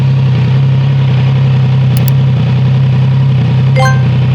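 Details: Triumph Trident 660 three-cylinder motorcycle, cold start: a loud, steady low growl at cold idle with a faint light clatter in the background. A rattle is possible, but the cause is unclear. Rattle at cold idle.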